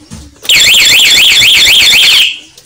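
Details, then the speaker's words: Honda Beat 2014 motorcycle fitted with Nine A1 Luminous remote alarm (with starter delay, for injection bikes): brief piercing rising-and-falling siren under two seconds, then cut, as the alarm trips when the ignition switch is forced, even in silent-lock mode. "Nah ini tempat kalau kunci kontaknya kalau dibobol orang tetep bunyi itu"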